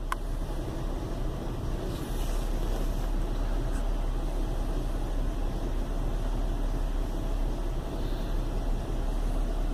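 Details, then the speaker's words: Chevy Venture warmed up about four to five minutes on a cool day, no check-engine light: low, uneven rumble at idle with no misfire rhythm; rough idle caused by a failed hydraulic motor mount, with no thunk when shifted into gear. "you can probably hear it's got a kind of a rumble to it it's definitely not running too smooth"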